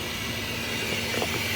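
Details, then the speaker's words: Mitsubishi 3000GT VR4 Turbo during fuel pump priming: a steady hiss that cuts off sharply when the pump is switched off. Owner suspects a stuck-open injector causing the misfueling issue. "But you can also hear a hissing noise, I think coming from that injector here. I'm not entirely sure which one, but if that is the case, it means one of the injectors is stuck open, which is probably causing the entire misfueling issue."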